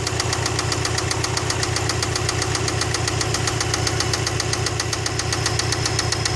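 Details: Subaru EJ206 engine at idle, running evenly: a sharp, regular knock about four per second tapping over the idle; internal engine knock of unknown cause.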